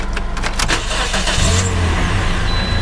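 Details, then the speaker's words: Toyota Corolla at start-up during a pre-purchase inspection: a few clicks, then it fires and holds a steady low hum without stumbling; no misfire, running good, no check engine light on. "first thing I do is I just start it up, listen to it, make sure it doesn't have a misfire, so we'll feel that. Feels like it's running good."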